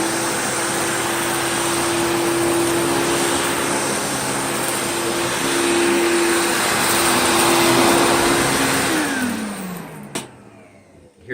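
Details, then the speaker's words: Riccar 8850 vacuum after repacking front and rear motor bearings to fix a bad-bearing noise: steady smooth motor hum, then the pitch slides cleanly down as it coasts to a stop, slight rice rattle inside; bearings now healthy. "little rice rattling around in there but that's it oh that spin downs nice okay wonderful"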